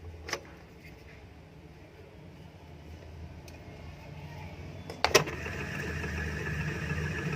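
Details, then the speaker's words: Indo 230 V 50 Hz ceiling fan, after fixing its noise without changing bearings, runs with a low steady hum, no grinding, rattle or squeal: normal quiet running. "ये देखिए फाइनली हमारा फ़ैन जो चल चुका है, बिल्कुल सही है, कोई भी ज़्यादा वॉइस नहीं है।"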